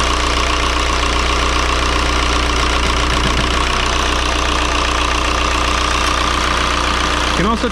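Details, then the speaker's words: 2003 VW Jetta TDI 1.9 ALH diesel, manual, just after swapping the 10mm Bosch VE injection pump for a gunked-up 11mm pump: steady diesel clatter at even idle, no dropped beats, air apparently purged from lines; normal idle. "well it's settled into a decent idle pretty quick i think the air is out of the lines now"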